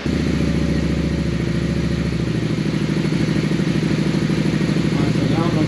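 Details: 2001 Honda Shadow VLX 600 V-twin after carb clean for fuel leak, airbox off, during pilot screw idle-drop adjustment, settled at three turns out: steady, even loping idle, no misses or stumbles; healthy.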